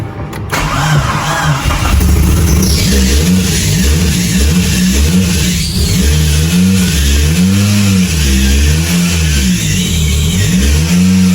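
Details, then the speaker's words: Mitsubishi Evo first start after build, fuel pump primed: cranks, catches quickly, clean throttle blips rise and fall smoothly; starts and revs healthily, though alternator is not holding good voltage. "But overall, like everything else, it runs good. It sounds good. Um, it just overall feels good. Starts up on the dime every single time now. Nice and smooth."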